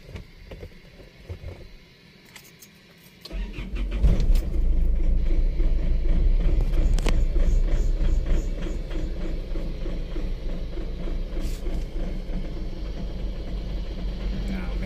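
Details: 2011 Isuzu Alterra 3.0 diesel with broken camshaft position sensor wire: brief starter whir, then stumbles into a rough loud idle after several seconds; still slow, hard starting before harness repair.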